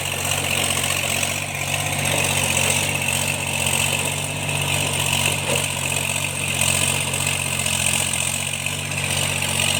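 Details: Tractor diesel working under load during cultivation after its engine knocking was fixed: steady, even drone with no knocking or ticking; healthy.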